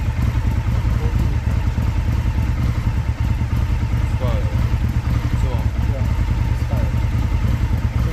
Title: 2024 Indian Scout Misfire_2